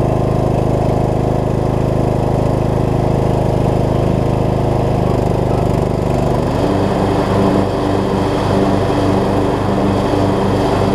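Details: Craftsman LT3000 riding mower, single-cylinder, with a replacement deck installed, holds an even drone that deepens slightly as the blades engage and cut. It stuck briefly at first and needs mow cycles to free up; the brakes may need adjusting. Normal running under load.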